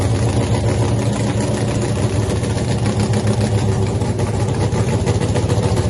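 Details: Freaky Tiki Hemi Cuda funny car, first fire-up after a 3-year build, not yet on nitro, after an earlier ignition problem with the mags: loud, deep, choppy but steady idle without stumbling; firing cleanly.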